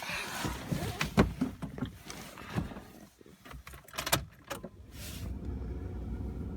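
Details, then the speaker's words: Stock 1993 Honda Civic CX hatchback, 1493 cc engine rebuilt 2,500 miles ago, 122,000 miles, 5-speed manual, cold start: some clatter and key noise, then catches quickly into steady, even idle; no warning lights, healthy. "That was a cold start, and you could hear the authority with which she started."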